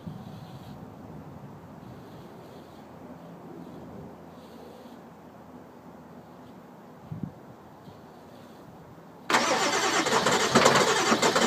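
Quiet lead-in, then a loud, harsh run of steady cranking that never catches into an idle; cranks but won't start.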